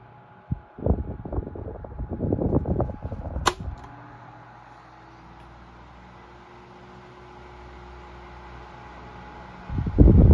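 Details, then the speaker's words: 1975 Toastmaster DeLuxe 12-inch three-speed table fan model 7310 on low speed after capacitor replacement; blade previously slowed to a stop on low, now a smooth steady hum without slowing or labouring, running normally. "drop it down below again see what it does that's where the problem became obvious before when you drop it down to low speed and it would just it would still be running but the blade would just slow down to a stop seems to be fine now"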